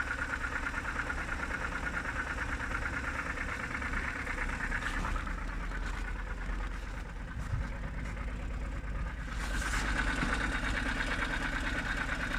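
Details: BMW N52B25, cold morning idle: light, fairly regular tapping about three times a second over engine hum, seemingly from the oil filter housing side; source unclear.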